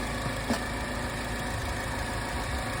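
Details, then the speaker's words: 2012 Chevy Malibu idling after new cylinder 2 spark plug fitted; misfire had been flagged on cylinder 2, and the transmission is also slipping. Fairly steady low idle with one faint stumble; maybe slightly smoother, still a hint of roughness, misfire not clearly gone. "it feels maybe a little smoother but maybe not I don't know see if we got that misfire popping up again"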